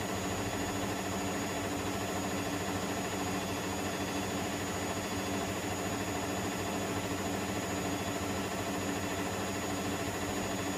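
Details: Electrolux EWF10843 washing machine spinning at 800 rpm with only two pieces of clothing: loud, steady whooshing roar with a faint slow pulse, far too noisy for a near-empty drum; source undetermined.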